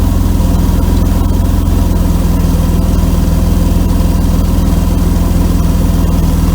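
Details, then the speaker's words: 1992 Mercedes W124 300E at idle after a temporary patch on the holed exhaust pipe. The leak is still faintly heard as a deep puffing about 3.5 times a second. Exhaust leak; the owner concludes a new pipe section (probably 2.5-inch) is needed. "It'll probably whistle now. I still hear it a little bit. Yeah. I think we need a new pipe."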